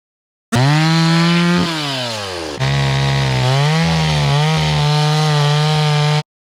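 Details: Restored old Stihl 026 two-stroke chainsaw after carburetor cleaning, rough-cutting thick-barked firewood with a pretty dull chain: strong buzz bogs down in pitch as the chain bites and recovers cleanly; sound, willing saw despite the dull chain.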